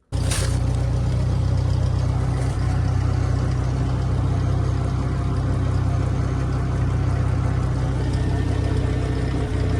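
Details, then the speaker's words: Backhoe attachment hydraulic pump running off the tractor PTO after new hydraulic filter and hoses: deep steady drone with constant low hum and pump whir, hard to hear; owner suspects a weird pump noise, unconfirmed. "it's quite hard to hear but uh I think it's some weird noise going on in the pump I'm not sure if it's it's just it just sounds like that or if it's something weird"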